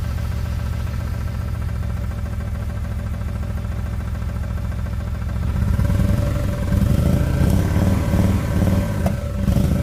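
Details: Nissan S13 with BMW engine swap, rough running before repair: uneven, lumpy idle with irregular low thumps and a stumbling beat that never settles; misfire, owner suspects a MAF issue.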